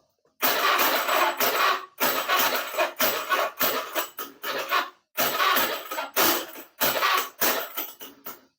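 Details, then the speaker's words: Honda Beat carburetted scooter: the starter churns in repeated one-to-two second bursts, turning slowly and heavily without catching; slow cranking from a weak battery, to be charged. "kalau suanya suaranya agak berat kayak gini ini bagian aki kita kasih STK ya kita kita kasih ces supaya bisa terbantu bisa lebih enteng ya"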